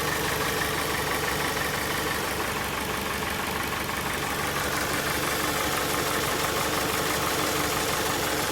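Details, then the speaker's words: 2001 Dodge Stratus 2.4 engine: a rough idle with a steady knock about three per second from somewhere below and very strong vibration; the knock is long-standing, oil level is fine and compression is 13 in every cylinder; cause unclear. "Что-то стучит. Попробуем завести. На видео не видно, но он очень сильно вибрирует."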